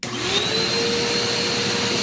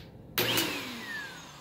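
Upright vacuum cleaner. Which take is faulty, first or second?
second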